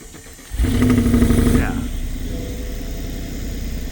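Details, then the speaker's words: BMW 550i twin-turbo V8 bought non-running, started after a broken wire was temporarily bridged: short crank then uneven lumpy idle with stumbling beat; misfire, runs as before with cylinder 4 soaked in oil. "it feels like it's actually running about the same as what we had before with that cylinder 4 soaked in oil."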